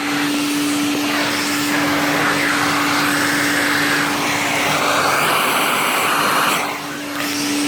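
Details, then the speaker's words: IEC Compact Electra C8 vacuum cleaner after new motor install: constant motor hum under strong steady airflow rush, no rattles or pitch wobble; normal running. "that's the noise to make so much better hear that airflow"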